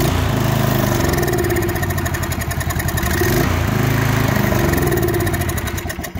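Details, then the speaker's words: Murray 24-inch rear-engine riding mower with a 190cc Briggs & Stratton engine: turns over but won't start, fires on starting fluid with fuel in the tank, single-cylinder thumping grows ragged and fades; dies after starting, fuel starvation suspected. "Well, it looks like it wants to halfway stay started now, once we started it on starting fluid, but there is fuel in the tank."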